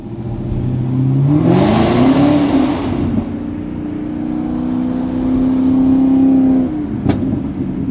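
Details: Serpentine belt squeal on a 2000 Ford Explorer XLT 5.0L V8 AWD right after startup: loud steady squeal climbing with revs, held for seconds; worn belt slipping, fixed by replacing belt, idler pulleys and tensioner.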